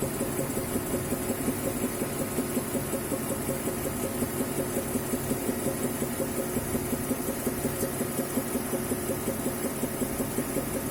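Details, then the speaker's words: BMW E70/E71 with N55 engine and 8-speed automatic: a dull knock at about three beats per second at idle, only when hot after 10+ km of driving. It speeds up with rpm. Microphone at the front fender, hood closed. Source unknown: engine, gearbox or transfer case. "слышно то есть прям тук тук тук тук тук стоишь на холостых и его слышно он очищается если дать оборотов при поднять обороты то он начинает учащаться этот стук"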